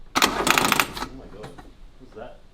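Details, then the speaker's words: Suzuki Cappuccino with suspected large vacuum leak: rapid starter clicking burst with no cranking; dead battery suspected. "Clutching? No, that sounds like dead battery. Dead battery."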